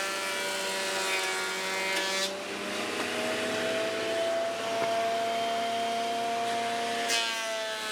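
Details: Dust collector running with a 3D-printed industrial fan, sucking MDF sawdust and small wood chips after the bin was swapped for a bag; steady motor hum, slightly rising fan tone, light hiss of chips; sounds good and performs well, normal running.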